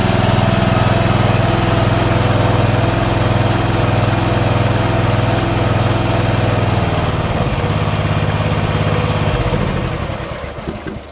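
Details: Old Simplicity mower with a 17 hp Briggs & Stratton overhead-valve engine, sat for years, after repair and valve-cover reseal: steady even chug with no misses, then winds down smoothly; healthy running.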